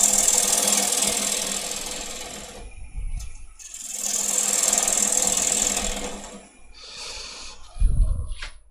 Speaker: should have stopped it and just moved the tool rest up a little tiny bit I could hear it chattering but rather than moving it I just left it where it was